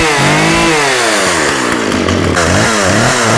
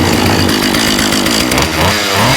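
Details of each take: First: Husqvarna 36 chainsaw with 14in bar, running without choke after carb clean-out and fuel line replacement: revs surge and sag about four times a second, cutting in and out. Coil or electrical fault suspected; off switch also not working. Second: Husqvarna 36 chainsaw after fixing leaking fuel line, gummed carburetor and detached fuel pickup: crisp, steady two-stroke buzz with a good pop, no stumbling. Good compression, judged to need no tune.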